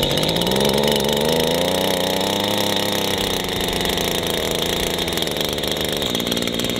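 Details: ECHO WP-1000 high-flow two-stroke water pump, started with choke and primer bulb, choke then taken off: small engine buzzes steadily, pitch climbs then settles into an even unbroken run with no misses; healthy.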